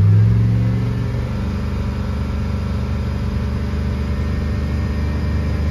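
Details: Chevrolet Tahoe at idle, oil pressure tester reading just under 60 psi versus 45 on the dash gauge: steady, even low rumble, no knocks, ticks or misses; normal smooth idle, sending unit suspected.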